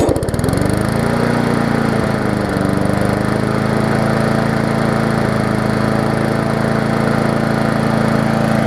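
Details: Murray 3.5hp Classic push mower, final start after full service, toggle kill switch and wash: catches within a second, steady even drone with clean firing note; running healthy.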